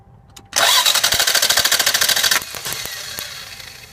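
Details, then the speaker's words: 1990 Lexus ES250 V6 that stalled while driving, fuel pump working: starter spins fast and even but no fire; main coil feed wire routed over exhaust manifold is grounded, no spark; wires to be replaced. "we got a main coil wire that feeds all the rest of the spark plugs and the distributor feeds the distributor um you can see that that's clearly grounded that's a primary uh grounded circuit right there"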